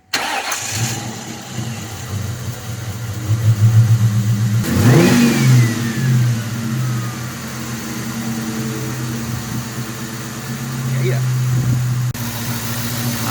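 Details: 22-year-old Ford Mustang, first start after replacing the original injectors with new 19s and checking for leaks: cranks, catches, revs briefly, then settles to a smooth, even idle with no misfire.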